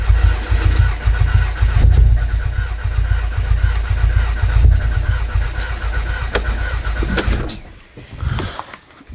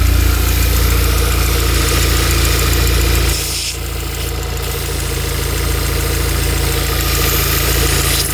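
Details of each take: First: Stage 3 VW Golf R Mk7, sat for months, first start after fitting 980cc injectors and a new intake manifold. Slow, labouring starter churn that never fires; crank no start, owner suspects a flat battery or air in the fuel system. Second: Stage 3 VW Golf R Mk7 after months standing, first start after fitting 980cc injectors and a new intake manifold: steady low engine note that holds even after a brief dip, no misfire or stumble; running well at idle.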